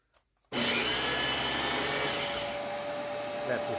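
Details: Dyson DC17 Animal vacuum after replacing the broken roller brush beater bar belt, suction motor switched on: spins up instantly to a steady high airy roar, even pitch, no rattles; working fine.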